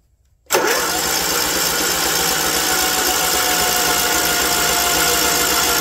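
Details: John Deere LT160 Automatic mower stored outside for years, after charging the battery overnight: starter holds a strong even spin for several seconds without slowing or dragging, drawing current from the charger; healthy cranking.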